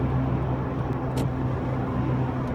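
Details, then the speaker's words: Worn rear wheel bearing on a VW Golf Mk3 cabriolet, recorded while driving at about 50–55: a steady low hum with a pulsating whine and low vibration under road noise. "pulsating whining low vibration and I think it's coming from that that really large there"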